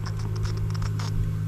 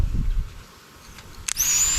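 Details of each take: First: Fuel pump from a swamped Sea-Doo jet ski that sat for years, bench-tested on a battery: a steady low electrical buzz with no spin-up whine because the impeller is locked up; freed later with a pick. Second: Fuel pump from a long-abandoned swamped Sea-Doo, previously seized and freed by hand, now bench-tested on a battery: click then steady high whir, working normally.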